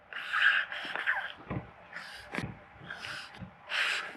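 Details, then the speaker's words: RC crawler after running in water: wet squelching and hissing as a foam-insert tire is squeezed, one wetter than others; wet-sounding tires should be pulled apart to dry, as foams deteriorate. "Yeah, one of these is wetter than the others. If they've got a wet sound to them, you want to pull them apart completely, because foams do actually deteriorate."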